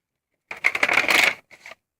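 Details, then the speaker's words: Hitachi VT-FX695A VCR loading a tape: quick clattery whirr then soft clicks, an ordinary load, slightly different noise from the owner's earlier, near-identical Hitachi VCR. "makes a slightly different noise than the other one I had"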